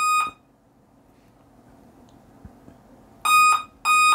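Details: Dell laptop at power-on: the power light is on but the display stays blank and the laptop does not boot. Loud, clear electronic beeps of about a third of a second each repeat as a startup beep code with no video.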